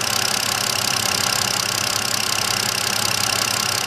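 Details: 2009 BMW 5-series, all six cylinders checked on an ignition chart tool after a misfire traced to a bad coil. Even, steady idle with a smooth regular beat and no stumble or skipped firing: normal idle.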